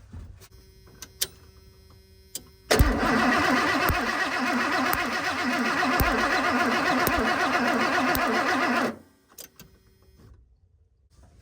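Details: 1991 Ford F250 V8, after sitting: brisk even cranking about six seconds, never fires; good spark confirmed.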